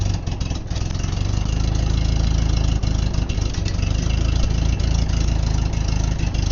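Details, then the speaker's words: Ditch Witch R65 trencher engine after sitting with stale fuel, fresh fuel added, just started on choke: fast loose light clinking about three per second over rough low idle; cause unknown. "Oh, it's like clinky. What do you call that the top? Well, I'm very pleased with that. Fired right up."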